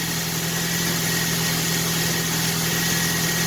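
Steady, even idle with a smooth low hum and no knocks, ticks or misses; engine sounds clean and healthy.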